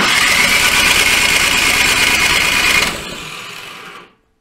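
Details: Toro Power Max 726 OE snowblower that had sat unused about two years, cranked at full throttle with fuel being drawn in: loud whirring starter with a steady high whine for about three seconds, then winds down without firing.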